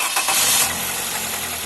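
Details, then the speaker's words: Toyota Corolla engine just after start with accessory belt on: heavy rod-knock-like tapping, sounding like it may break; removing belt showed the engine was fine, traced to failing water pump; water pump knock. "e o barulho pra galera ó o barulho bem forte parecendo aí biela batendo um e tem hora que parece que vai quebrar"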